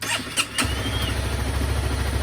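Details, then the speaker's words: Honda CBR250R that sat in a yard for 5 years, on fresh fuel and a temporary generic battery, start attempt: brief crank, then it catches and settles into a steady, even low idle pulse; normal start and idle. "Let it warm up a little bit. All right, runs idles. That's awesome."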